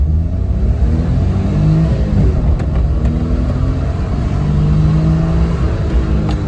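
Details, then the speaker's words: 1999 Suzuki Alto Works HA22S turbo at full throttle down a block, the day after, with the boost leak fixed. The engine note climbs cleanly and quickly with no hiss or stumble; it sounds and feels much faster. "not only does it just sound faster, but it feels 1,000,000% faster."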